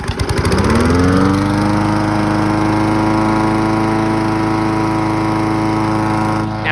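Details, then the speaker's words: Briggs push mower after a low-rpm fix with a new governor spring and a zip-tied frame part: starts on the first pull, catches and climbs quickly to a steady, even high speed without surging; healthy running. "Here, runs a lot better now. Got starting to first pull. Guaranteed."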